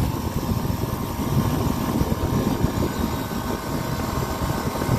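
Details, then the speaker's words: Copeland digital scroll compressor: a steady hum whose tone shifts as the unloading solenoid activates, normal digital scroll capacity modulation with nothing abnormal. "and now you can hear the solenoid activating once again"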